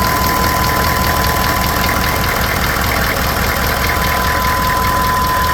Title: knocking noise.